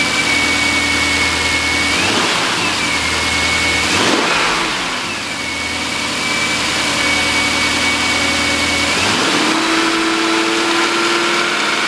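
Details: 2003 Jaguar XJ8 V8, automatic, 138,000 miles, rear-damaged parts car, recorded from a tripod-mounted camera: a smooth idle with clean throttle blips, revs rising and falling evenly with no knocks or misses. Normal running.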